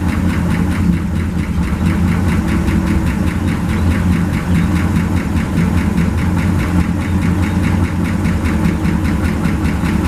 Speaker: sounds real nice nice and quiet